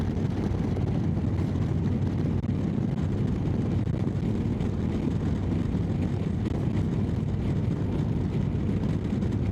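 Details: Motorcycle cruising at about 100 after failed exhaust gasket replaced: even deep drone with heavy wind rush, no puffing or ticking; exhaust sealed, no different to other pipes, no more heat at right leg.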